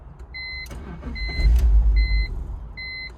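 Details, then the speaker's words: BMW E46 that wouldn't run, after a new purge valve: repeated warning chimes over a low, laboured crank that rumbles briefly and dies, with no idle and no gauge; a leaky vacuum line is suspected, not confirmed. "It's even worse now. It's even worse. Maybe it needs to get used to it or something. Not even like anything. That doesn't even idle anymore."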